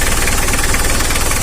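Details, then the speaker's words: Mitsubishi L300 diesel van with a hard-starting complaint, started after the fuel filter was opened. It fires immediately with no long cranking, then settles into an even diesel clatter with no hunting: normal idle. "Langsung jos ini guys, nggak ada memel mantap."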